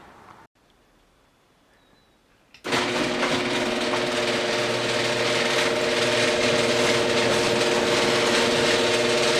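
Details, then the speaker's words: Genie screw-drive garage door opener, over 32 years old, opening: steady motor drone with a sharp regular tuck-tuck tick about four times a second from halfway through travel, not when closing; owner suspects the carriage gear or screw, unconfirmed. "I think the noise started when is halfway and suddenly you have some tuck tuck tuck tuck tucks like that"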